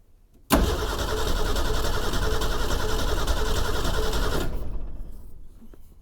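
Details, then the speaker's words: 1961 Ford Econoline van sat over 30 years, cranked via jumper wire with no key switch or coil power: loping, uneven chug for about four seconds, winds down without firing; turns over with a gallop, no start. "And well, got a bit of a gallop, but she seems to be turning over."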